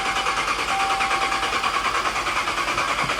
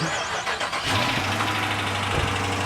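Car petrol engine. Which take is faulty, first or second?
first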